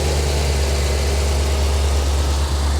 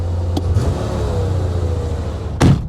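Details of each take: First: 1985 Chevy Corvette C4 V8 swamp rescue after engine work, with oil spilled on the manifolds burning off and some spitting the owner isn't concerned about: deep, even idle with a regular low beat, no misses or knocks; normal. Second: 1985 Chevrolet Corvette C4 V8, a flood-salvaged swamp car now running on all eight cylinders, idles evenly but high at about 1300 rpm with no miss; owner suspects a vacuum leak, not confirmed.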